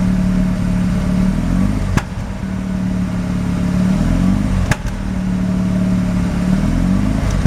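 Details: Mazda RX-7 rotary, extremely high CO (2.70), failed inspection: uneven burble, note stumbling and dropping out each time throttle is nudged; misfires only on light throttle; no oil pressure; ignition leads measured; cause unknown.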